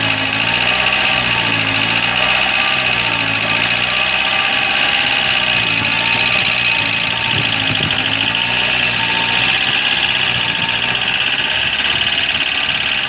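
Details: Corsa engine at steady idle with a light metallic top-end ticking from hydraulic lifters slow to pump up, starved of oil by a dirty oil pickup in the sump.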